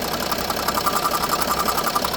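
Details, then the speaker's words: Range Rover Sport at idle, owner told it needed new turbo/engine: fast, even ticking with faint high note from a slight vacuum leak at the vacuum engine mount and its feed pipe; stops when mount vacuum is blanked off. "So it's got a vacuum leak from the engine mount. This is the pipe that runs down to it. So there's a slight leak on it."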